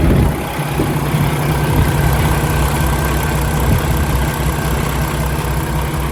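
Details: 2016 Peterbilt 579 with a Paccar MX13 diesel and automatic transmission at idle: a deep, steady, even rumble with no knocks, ticks or misses, no smoke and little blow-by; the engine runs healthy.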